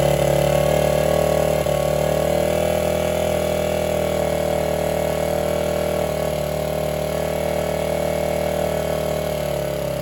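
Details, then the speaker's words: 1978 Honda XR75 first run after sitting since about 1989, after reassembly, stripped stud repair and fresh fluids: smooth, steady idle with even beat, no knocks or misses; running cleanly. "I think it actually does pretty good for something that has been sitting this long"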